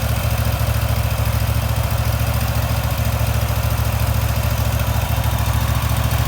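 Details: Wright Stander X mower after restoration, started up: steady, even low-pitched idle with a regular firing beat, no knocks or misses; runs smoothly.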